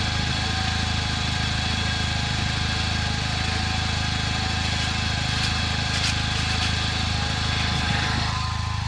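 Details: 2009 Chevrolet Cobalt SS: a steady high whine sits over an even engine drone without fading while the engine runs; origin unknown.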